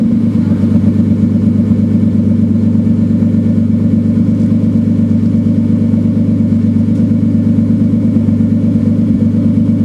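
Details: Turbo BMW 328 idling loudly with a lumpy uneven beat about two pulses a second; misfire at idle, cause unknown.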